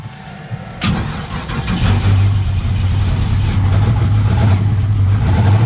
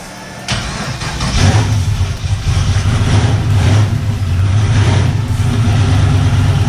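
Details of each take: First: Turbo LS V8 that idles but falls over under load, with a new coil, new crank trigger and swapped carburetor, still catches into a lumpy idle with a repeated stumble; one cylinder is dead and misfiring, cause not found. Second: Turbocharged LS car that previously popped and wouldn't move at the track, control box now plugged in: catches after brief crank, settles into deep even rumble with smooth revs, no popping or stumble.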